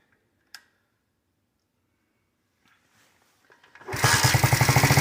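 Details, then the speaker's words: KC pit bike (Pep Boys, roughly 15–20 years old, air-cooled two-stroke) after sitting 3+ years, cold start at about 40°F on choke: it catches and settles into a fast, even popping idle; runs fine. "It's kind of cold out right now. It's right about 40 degrees, so sounds like it's running."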